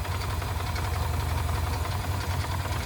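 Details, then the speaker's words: 1979 Mercury Capri Turbo RS revived after 23 years, idling about 600 rpm against a 900 rpm spec: low, lumpy idle with an irregular metallic chatter of two or three rattles a second; loose turbo heat shield. "So let's raise it up just a hair. That rattling's the heat shield on the turbo."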